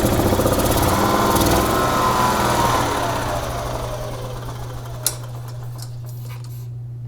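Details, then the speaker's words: 2011 EZ-GO TXT gas golf cart, brought in as a crank-no-start, iced over after freezing rain: fires right up on the existing tank fuel, and a low putter of about four beats a second settles into a smooth, steady idle. Normal idle. "great fired right up okay so that's good we don't have to sleep in the entire tank dry"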